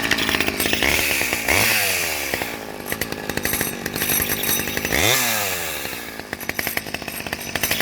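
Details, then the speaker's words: Vintage Stihl 011 AV mini chainsaw with chain brake: crisp two-stroke buzz winding cleanly to high revs twice and dropping back smoothly; healthy, normal running. "yeah that's a good sound and chainsaw i think this might be one of my favorite small ones"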